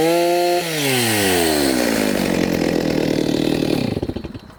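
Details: Stihl MS290 chainsaw after repair, with a new Oregon bar and fresh bar oil, during test cuts: clean high whine drops smoothly into a steady, even cut, then winds down with no misfire; running normally, with slight smoke expected to clear.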